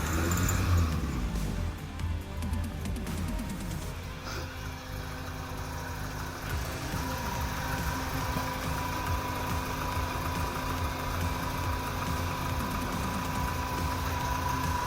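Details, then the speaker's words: 1984 Toyota Hilux 4x4 after new spark plugs and fuel filter, just started cold with the electric fuel pump running: a steady even low idle without stumbling, misses or knocks. It used to stall at idle. Normal idle. "can't see any fuel leaks very good I'll just let it idle for a sec"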